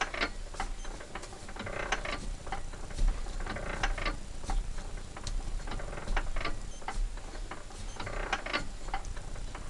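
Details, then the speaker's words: Petter A1 engine needing a new bore, turned slowly by hand after WD-40 on the cylinder: light irregular ticking of internal timing gears meshing; normal. "But it looks like this is going to be one smooth running engine when it's done. I just love the sound of the gearing inside it."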